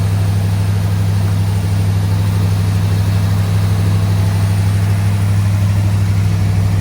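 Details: AK 427 Cobra replica first start after build, cold day, checking for leaks: steady even low burble at constant pitch, no knocks, misses or ticks; idling cleanly. Normal idle.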